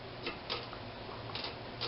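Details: Murray 22-inch push mower with Briggs engine, recoil starter just repaired: crisp, irregularly spaced ticks as the cord is pulled, pawls catching cleanly; normal recoil starter clicking.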